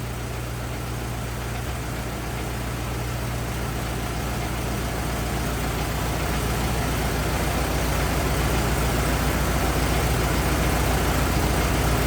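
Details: 1927 Ford TT truck, old four-cylinder, choked, on battery: steady, regular low chug about three and a half beats a second, no misses or knocks; some oil leaking, owner suspects loose hogshead inspection cover; normal idle.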